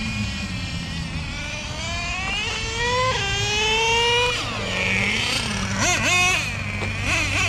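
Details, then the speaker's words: Nitro Revo 3.3 nitro engine with new driveshaft upgrades, running at a track: high buzzy scream rising and falling sharply with the throttle, crisp with no sputter; healthy. "Yeah, sounds good. I'm real healthy."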